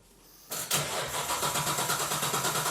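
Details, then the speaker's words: Nissan 240Z with newly fitted GT-R RB26 engine, injectors off, modified sump and oiling system, cranking to check oil pressure: even, unbroken cranking at about four to five beats a second with no firing; oil pressure came up, normal. "now we're going to crank it to make sure got oil pressure cuz we have messed with the oiling system the sump and all that to make sure the oil pressure comes up"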